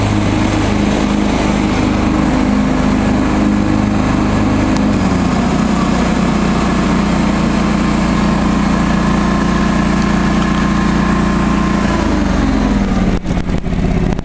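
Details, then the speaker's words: John Deere 445 garden tractor, restored, hydraulic oil and filter changed, blades sharpened: driving with mower deck on, even steady engine drone, smooth speed change midway, no misses or knocks; normal healthy running under load. "so let's take the brake off and I'll turn the mower deck on for you"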